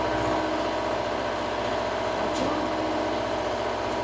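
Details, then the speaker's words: Reefer (trailer refrigeration) diesel unit idling after unloading, compartment C2 set to about 8 and rear compartment C1 to 4; constant loud diesel drone with steady fan rush, no knocking or surging, normal idle. "bây giờ hãy tắt nó đi vì tôi đã tạo ra đủ tiếng ồn rồi, hãy hy vọng nó được nghe thấy vì"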